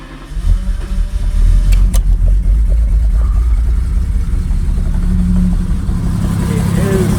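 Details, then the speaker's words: Abandoned Jaguar XJRS V12 running on a makeshift fuel supply through the fuel rail and injectors: it catches and settles into a loud, uneven low rumble with irregular pulses. It runs rough but improves with each run; cause not pinned down. "So yeah, it does run. I've run it a couple more times after that, and yeah, it fires up. It runs better every single time."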